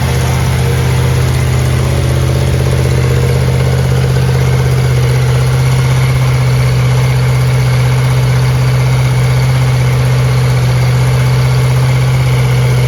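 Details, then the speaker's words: 1970 Chevelle SS 454 big-block Chevy with solid lifters, Comp Cam and locking rocker arm nuts, restarted to finish break-in after about 15 minutes' running; steady, even low rumble at about 650 rpm with no ticking or knocking; normal idle. "I mean it idles down to 650 RPM and uh we're very very very happy with how this motor is running"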